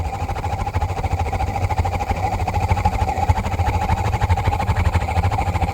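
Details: 50-gallon water heater whose light flashed for low thermopile voltage; once warm, the burner lights with a big flame. A loud, steady, pulsing roar with a faint twice-a-second throb and a hollow rush follows. Cause unknown.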